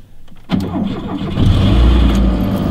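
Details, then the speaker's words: Lada after long winter storage, cold start: short crank, then fires at once and settles into a smooth, steady low idle; clean, healthy start. "Zündschloss links. Ey, wenn das Ding jetzt anspringt, dann Hut ab."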